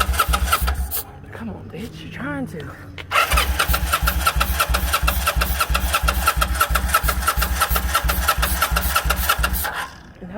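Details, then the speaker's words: Kawasaki Vulcan 800, petcock switched on/prime/reserve, fuel leaking: cranks, catches into lumpy uneven idle for several seconds, then fades out; sounds fuel-starved, cause suspected, not confirmed. "it sounds like it's not getting none, right? Yeah. Hold on, maybe. That joint sounded good though for a second. Thought she was ready to go."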